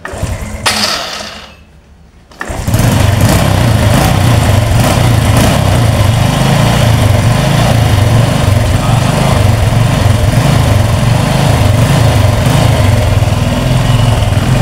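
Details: Honda Revo FI injection moped after fixing loss of spark and no injector spray traced to the TPS sensor: starts after a short pause, then runs steady and even with regular low thump and smooth throttle response, healthy.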